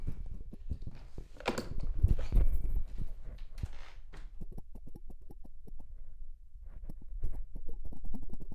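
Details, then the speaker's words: Rode VideoMic NTG microphone rattling when moved side to side, even when removed from its mount: quiet irregular clicks and soft thumps with each movement, as if something loose is moving inside. "To jest test mikrofonu i słychać, strasznie słychać, jak się rusza nim na boki, to brzęczy."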